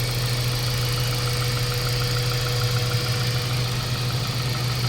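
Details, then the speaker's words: Mazda 3 1.6 idling after cylinder head work for low compression and heavy vibration, run about an hour on water coolant with normal temperature: steady, even, smooth low hum, no shaking or knock; vibration gone, transmission steady. "wala na yung palag mga boss katulad dati na malakas yung vibration so Tingan niyo yung transmission wala ng"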